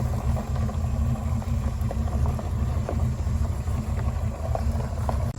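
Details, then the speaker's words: 1979 Pontiac Trans Am, 10-bolt 8.5-inch positraction rear end, after refilling with 80W-90 gear oil plus limited-slip additive: steady, low rumble through the turn with no clicking or popping; a quiet limited-slip differential when turning. "the clicking and the popping is stopping all that stuff in that 79 trans am"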